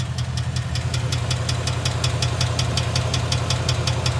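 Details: 2011 Mustang GT 5.0 Coyote V8 at idle: sharp, evenly spaced metallic knocks, about five a second, over a steady idle; bad rod bearing.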